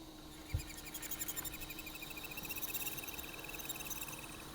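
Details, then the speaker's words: Accurascale Class 60 model locomotive, running on track with the body off: rapid high chirpy squeaks in step with motor rpm over a faint hum; a rotational noise, suspected inside the motors where the motor shaft connects to the bogies, not reachable with oil. "You can tell it's definitely more of a rotational noise than anything else, that's for sure. And the RPM of it sounds very, very similar to how you'd expect the motor to be going with the RPM of the motor."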